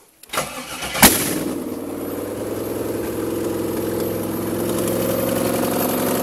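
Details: 5.3 LM7 V8 from a 2001 Tahoe swapped into a 1995 Impala SS, rebuilt with ported heads, standalone truck PCM, no exhaust fitted, snowy weather; brief crank, sharp flare, then steady even idle: normal start and idle.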